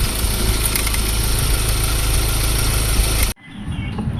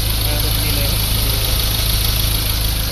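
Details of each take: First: Ford Ranger diesel idling: loud, rough rattle and hiss from the engine, traced to a worn, binding belt tensioner/idler bearing. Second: Ford Ranger diesel after a new tensioner bearing was fitted: it idles smoothly with a steady low thrum and no squeal, rattle or grinding.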